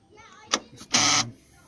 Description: This is how I solved the grinding noise on my 2007 navara d40. The noise was coming from the front passenger side door.